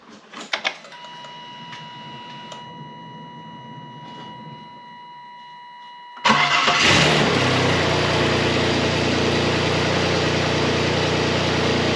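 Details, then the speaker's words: Saturn Vue 3.0 V6 (GM L81), first start after replacing the timing belt and roller: a brief crank, then a smooth, even idle with no ticking, slapping or misses. Normal idle. "that's a good sound and it runs and it's smooth cool"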